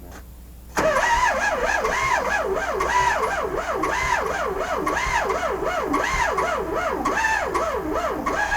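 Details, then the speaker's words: VW Sterling kit car with a 12V starter in a 6V transmission, never rebushed, starter drags on its windings; cranking slowly over compression without firing, second battery added; later fixed with a self-supporting starter. "what I did is put another hooked up another battery to it get it a spin over a little faster"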